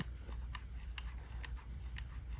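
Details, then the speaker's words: Valve Steam Deck right analog stick, about two months old: sharp, evenly spaced clicks about twice a second, only when rotated in one direction, present since new; joystick clicking, cause unknown. "you guys hear that it's like a clicking sound and it's only in that direction if I spin it the other way no clicking sound if I go this way it has that little clicking sound"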